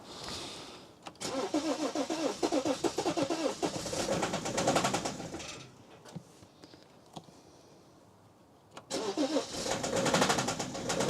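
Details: BMW diesel engine cranks, catches and settles into a rough idle with a regular hard knock on each firing stroke; cause not clear.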